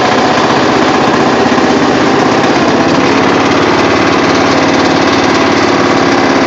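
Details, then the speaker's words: Rebuilt Murray riding mower small single-cylinder engine, transaxle fixed to run as a four-speed: runs fast and even with a steady buzzing beat, no misses or knocks; healthy, normal running. "so yeah you can see that she works I just took her out and made her a four speed instead of a five speed which kind of sucks but it works"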